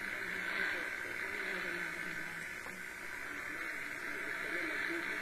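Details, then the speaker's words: Realistic DX-200 shortwave receiver, afternoon, after switching off room lights and devices: steady hiss and static, no signals; high noise floor, no local interference found, possibly dry-air static and poor HF conditions. "so it's not any interference that I can find it is loom I mean there might be something else with a given dozen things on in this room but I typically like to don't have this kind of noise level in this room"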